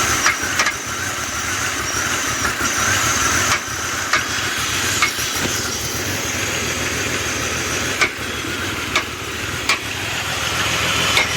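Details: 2000 BMW 528i petrol engine idling cold with a fast, uneven tapping knock under the steady engine note; owner asks why.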